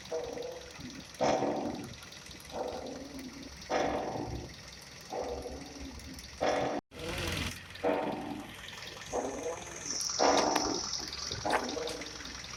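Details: Kia Rio 4 front suspension: creaking squeak about every 1.5 seconds as the steering is turned back and forth; the upper strut mount was suspected, but the cause was the ball joint, later replaced; ball joint squeak.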